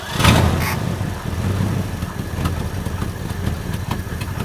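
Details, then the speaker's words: 1963 Ford Galaxie 289 V8, long-sitting, at first start: steady, even low rumble with a little throttle and no knocks or misses, exhaust leak present; runs smoothly. "that's a really good sound in little 289. yeah that sounds like a nice little sewing machine"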